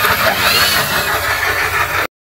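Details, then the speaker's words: Yamaha Aerox scooter with rough engine noise, before repair: coarse gravelly roughness over a steady beat from the engine itself, not the drive; diagnosed as worn camshaft bearings, fixed by replacing them, after which it ran smooth. "nah suara ini masih tetap seperti ini ya teman-teman ya ini untuk meyakinkan bagi teman-teman pemula bahwa perusakan ini ada di bagian posisi mesin"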